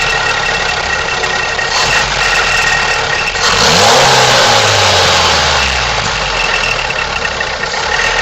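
Fast metallic rattle, roughly four a second, riding on the idle and staying through a brief rev; an engine rattle, source unconfirmed.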